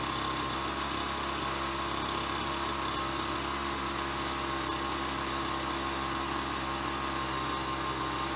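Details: Ryobi BP42 backpack leaf blower two-stroke, 4 years old and weathered, after repairing no-spark, replacing and fine-tuning the leaking carburetor, and redoing the fuel lines: steady, even buzz holding speed with no misses or surging; normal running.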